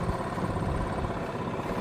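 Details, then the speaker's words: Old Yamaha golf cart after plug work, at low road speed: steady even low putter with no stumbling or cutting out; sounds healthier, where before it would shut off at low speed. "Actually, definitely a lot healthier sounding. At like low speeds like this, it would just uh kind of just shut off."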